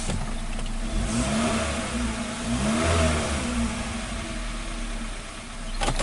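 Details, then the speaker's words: 2015 Hyundai Accent with P0335 and P2188 codes, dead tachometer, intermittent stalling, while watching tach and O2 sensor readings: revs climb and drop back unevenly, pulling flat and hesitant under throttle; loss of power on acceleration, cause not confirmed. "let's look at the tack just now we sound like it was you know losing power let's step on the"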